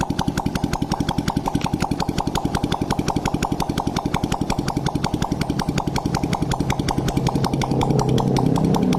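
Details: Honda Blade motorcycle after new boring and head fitted to cure oil smoking, exhaust removed: steady even popping about four beats a second, no misses or knocks; smooth healthy single-cylinder idle.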